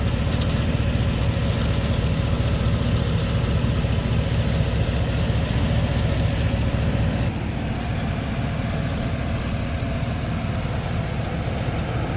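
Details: 2020 Chevy Express 3500 with a 6.0L V8 replacement engine (the original failed with lifter issues at 86,000 miles), first start after priming oil pressure, checked for leaks: an even, steady low idle with no ticking or knocking. Normal idle.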